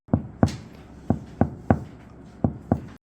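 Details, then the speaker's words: Tesla Model 3 Highland Long Range, fender/trunk panel after aluminum damping mat applied: seven short, dull, thick hand-tap thuds with no ring afterward. Damped body panel tap. "소리가 굉장히 둔탁하고 두툼한 그런 느낌이 나죠."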